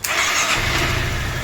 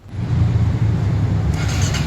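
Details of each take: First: Honda Forza 350 scooter after repair of an intermittent no-start, previously fixed by tapping or shaking (fuel pump repaired): brief crank, engine catches at once, steady low idle; normal quick start. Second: Honda Forza 350 scooter cranks in quick, even pulses about five a second but never catches; crank-no-start caused by a failed fuel pump, repaired afterward.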